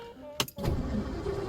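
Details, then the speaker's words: 1957 Lincoln Premiere in neutral after six months unused, on a freshly charged battery mounted in the footwell; rat droppings were found under the hood. After a clunk the starter cranks steadily and evenly without firing yet. Normal cranking. "cranking gas come on baby I'll give it a second here"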